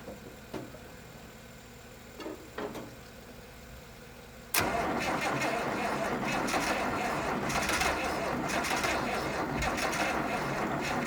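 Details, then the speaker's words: 1972 Massey Ferguson 1100, 94 hp, long unused, jump-started from a Chevy: a few clicks, then the starter grinds at a steady, laboured pace and never catches; slow crank from too little battery power, no start. "I need like 5 more batteries in it."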